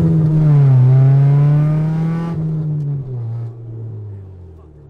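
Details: 1991 Honda Civic Si after fixing low-rpm and idle bogging, root cause the fuel pressure regulator: engine note rises smoothly and winds down cleanly with no stumble, surge or bog.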